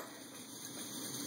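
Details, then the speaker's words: MSR Whisperlite stove on 91% isopropyl alcohol through a K jet drilled with a #68 bit: an even, steady roaring hiss, quieter than white gas, with no sputter; burning normally. "it it's not as loud as running white gas but that flame dispersion is beautiful"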